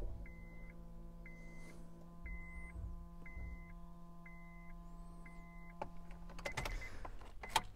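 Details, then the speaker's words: 2010 Honda Jazz: steady low buzz from behind the dash the moment the ignition comes on, with a chime ticking over it, then cutting out; fuel pump heard separately, owner suspects a relay buzz, not confirmed. "when you're turning ignition on there's a bit of a buzz coming from the dash somewhere around here I'm not totally sure what it is"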